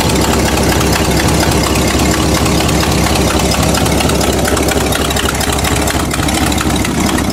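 Loud rough V8 idle with an uneven, stumbling beat around 85 a minute that never settles; a persistent misfire, cause not yet pinned down. Cause suspected, not confirmed.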